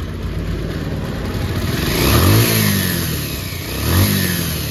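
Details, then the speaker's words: Bajaj Pulsar after a carburettor overflow, carb wash and the resulting pickup problem were fixed, idle raised slightly: single-cylinder picks up cleanly through two throttle blips and settles without stumbling or dying; problem solved. "जो कि देख सकते हो problem finally solve हो चुका है। दो दिन इसमें लगा रहा।"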